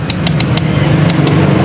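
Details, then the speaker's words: Honda CBR150R won't start: loud repeated relay clicks under the seat when starter pressed, engine never cranks; battery reportedly new; starter relay click, no crank. "dengan keluhan tidak bisa distarter ya teman dan ini hanya bunyi cetik-cetik di bagian dinamonya ya"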